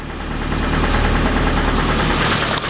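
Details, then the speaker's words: Suzuki Samurai engine, warm, after oil pump work: rapid, steady knock tracking engine speed; owner thinks valves or possibly in the block and fears a rod knock, no oil light; cause not confirmed. "wishful thinking but it's still knocking I don't know if it's it sounds like valves but but it's it's a knock it might be in the in the block"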